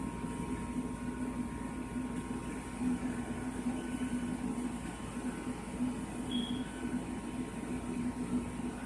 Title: Furnace is making this noise instead of turning on